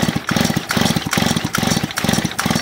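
Even, rhythmic chuffing strokes repeating about every half second as it's pulled over; compression sounds strong and consistent.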